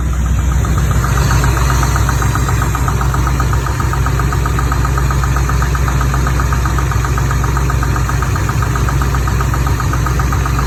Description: Chevy 350 small block, 43 years old, 48,000 miles and the drivers side has a tappety knock I can also feel it in the valve cover.